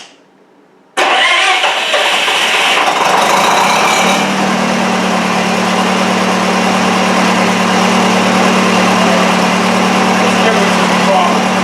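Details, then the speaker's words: Miller Wildcat 350D diesel engine welder bought non-running at auction, running on old diesel fuel. It catches after a short crank and settles into a smooth, steady diesel hum; the engine runs well. "but it seems to be running okay. So, we're just going to let it run and get rid of that. But the engine seems to run beauty."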